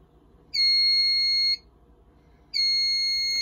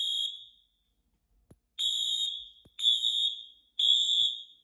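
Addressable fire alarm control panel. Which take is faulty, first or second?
first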